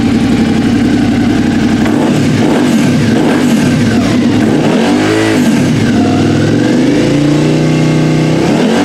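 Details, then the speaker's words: 2013 Suzuki Gladius with newly fitted M4 aftermarket exhaust replacing stock: deep exhaust rumble rising and falling cleanly through throttle blips, no rattles or misfires; deeper than stock, healthy twin. "here Brodeur got a deeper rumble to it still here Samantha noise but definitely hear the exhaust"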